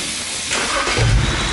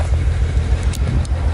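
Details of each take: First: BMW 135i with a cylinder 5 misfire code, just after swapping in a replacement part on cylinder five: quick crank, catches and settles into a deep even idle with no stumble; no misfire or codes now, though misfire previously occurred when warm under pulls. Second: BMW 135i with check engine light, code reader shows cylinder 5 misfire: uneven lumpy idle with chugging stumble, whole car vibrating; owner suspects ignition coil, not confirmed.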